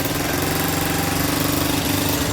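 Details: Solifer R50 four-stroke moped after fitting a new carburetor, as the old one's diaphragm caused the running fault: small single ticks over at a quick, even beat with a steady buzz and no stumbling; healthy idle.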